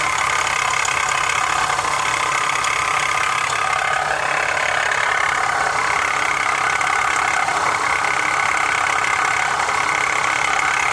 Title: My Honda is making a rattling noise, what could be the issue? #mechanic #2015HondaCRV